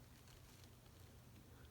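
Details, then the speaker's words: Copal model 229 Japanese flip clock motor that had become noisy, after freeing it with a detergent soak and lubricating with ATF: faint, steady low hum with no ticking or chatter; running normally. "this is a copal japanese flip clock motor they don't make these anymore nobody services them"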